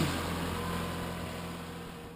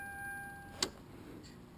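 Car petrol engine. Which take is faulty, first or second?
second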